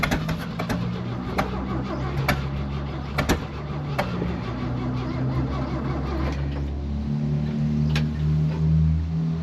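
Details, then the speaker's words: 1964 Chevy C30 1-ton with the choke pulled and the carburettor bowl filled: cranks and catches with uneven sputtering and sharp pops, then dies without idling; it may have used up the fuel in the bowl. "oh look at that we got some firing going on although this dying"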